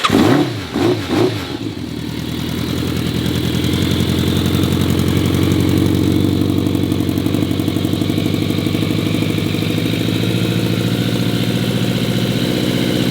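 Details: Rare vintage Yamaha Phaser motorcycle with carbs working well and a redone fuel pump, cold start with the choke pulled: a few cranking pulses, then it catches and settles into a steady, even idle, running healthy.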